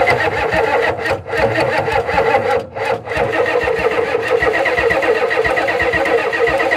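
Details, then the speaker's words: 1991 Ford F350 dually, 7.3 IDI diesel, unrun since 2010: long labored cranking with uneven bursts, then catches and runs roughly, sounding fuel-starved rather than a starter fault. Owner suspects fuel delivery or low pressure and may fit a fuel pump; unconfirmed. "All right, she runs. Just got to figure out the fuel delivery system."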